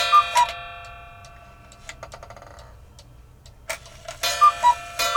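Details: Modern cuckoo clock with a brand-new replacement movement, after the gong hammer was adjusted to sit off the gong: crisp two-note cuckoo calls, a clean ringing gong strike and steady ticking; it runs and strikes properly.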